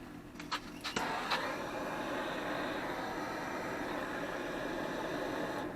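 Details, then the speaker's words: Indoor wood gasification boiler in mid-April, water down to about 110, start button held: a few clunks at switch-on, then a steady even airy rush as the draft blower spins up, pulling air through the boiler and up the chimney. Normal blower startup. "so as it kicks on you're going to be able to hear that blowers start to turn and suck the air through the boiler and blow it up the chimney"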